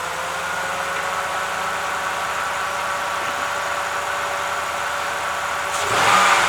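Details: Hemi-engine truck started after replacing a broken intake valve spring; before the repair it misfired and only ran with the gas held down. The V8 now idles smooth and even with no stumble or miss. Normal idle.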